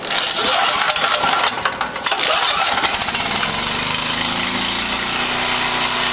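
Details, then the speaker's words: 5,000 W Coleman Powermate multi-fuel generator with Briggs & Stratton engine, started after priming; starter rattle catches within three seconds, then steady even drone, no rough idle; normal idle. "The generator is running really smoothly. It sounds great. There's no rough idle on it."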